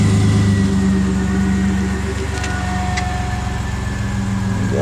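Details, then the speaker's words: Neighbor's truck after a ground strap fix for buried fuel and temperature gauges: low, even idle burble at a steady pace with no misses, knocks or hunting; normal idle. "so there you go couple of snags and we got it done sounds like a champ"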